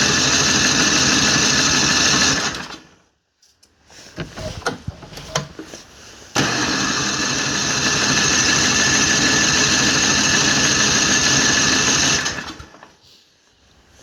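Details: MTD snowblower that sat unused for several years, fresh gas, cranked on the electric starter with no pull cord: even fast churn about three beats a second in two long bursts, never catches or fires.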